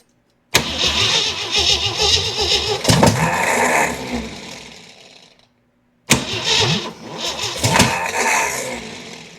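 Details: Jeep CJ7 project, carburetor fuel bowls filled with top cover off, exhaust damaged: two bursts of starter cranking with the engine sputtering, trying to catch, then dying each time; not starting yet.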